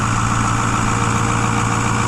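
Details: 2010 Ford F-250 6.4 Powerstroke diesel after engine rebuild, cold, heard under the hood, no smoke: steady, even diesel drone at raised idle with no knocks or hunting; normal cold high idle to warm up faster.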